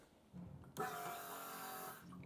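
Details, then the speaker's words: 1993 BMW K100, 75,000 miles, after installing a new fuel pump and gas cap gasket: short steady electric buzz of about a second at key-on, then stops; pump priming normally. "and now I want to see if I can at least here the fuel pump Prime so let's see all right it's priming"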